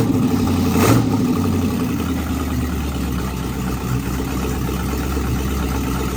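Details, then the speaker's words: 1937 Oldsmobile build, first start after wiring done: a couple of throttle pumps, quick blip, then settles into a steady idle with no knock or miss; motor running, transmission working, driveline in. "Motor's running, check. Transmission's working, check."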